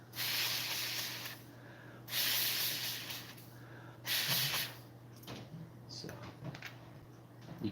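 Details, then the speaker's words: Traxxas UDR RC bearing, etched badly inside, spun by hand gives a gritty rushing hiss instead of a smooth whir. Rough etched bearing, which is still going to be used. "so this has this bearing actually got wasted i'm still going to use it this is the one that um this must have got etched pretty bad inside"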